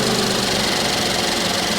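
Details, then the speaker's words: Suzuki Vitara three-cylinder, 19,000 miles: steady, even idle just after a cold start, no knocks or misses, smooth hum with some fan hiss; normal cold idle. "let's come down off idle off a cold start"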